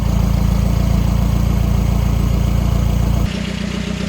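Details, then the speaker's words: 1984 Volvo 244 GL pulled from the woods, running on its own: steady, even low idle about three and a half beats a second, no misses or knocks, runs pretty good. "It's alive. Oh my! We have a runnable car. runs pretty good."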